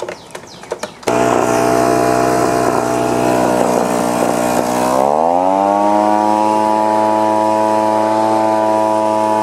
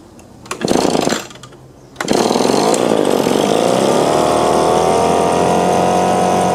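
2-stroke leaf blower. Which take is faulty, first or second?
second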